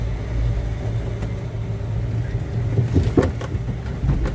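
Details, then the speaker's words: Daihatsu Luxio driven after front suspension work for a front-wheel clunk: only steady low road rumble, no knock from the front left, and the owner concludes the cause was the "bojo" part, not the shock absorber. Normal suspension, no clunk. "Ya udah nggak ada suaranya sebelah kiri ya berarti bener ini bojonya bukan shockbeker"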